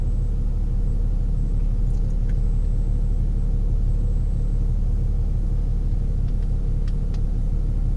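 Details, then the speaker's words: Infiniti G37/Q60 cabin while cruising, after a $20 sound-deadening fix without a resonator or exhaust changes: only a steady low rumble, no booming drone building up. Cabin noticeably calmer; decibel meter showed a significant volume drop. "So I can already tell this thing is so much quieter now. The decibel meter showed that, a pretty significant drop in volume, but just living with it, it is a lot different."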